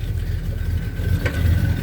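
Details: 1978 Chevy C10 truck with a freshened engine, 4.3 starter and recently adjusted carburetor: low, steady V8 burble with an even beat and no misses or knocks; idling cleanly.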